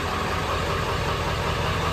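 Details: OBS diesel truck first started after a week sitting, glow plugs warmed; a connection fix, not the suspected IPR valve, got it running: steady, even diesel clatter at idle with no stumbles or misfires; running normally.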